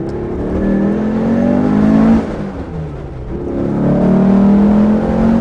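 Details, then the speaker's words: 1967 Porsche 912 on first test drive with newly installed 2.1-liter engine, accelerating through gears; occupants say it has a lot of power and sounds very smooth. Smooth even note climbing with each pull, no knocks or rattles: normal acceleration. "Man, it really sounds good. It's like so smooth."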